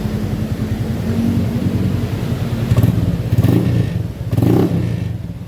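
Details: Honda Beat FI scooter on centre stand that struggles up to 40 km/h: low, uneven idle with choppy, stumbling surges on throttle blips; fuel pressure normal at 45 psi, TPS and fuel filter suspected; engine stuttering under throttle.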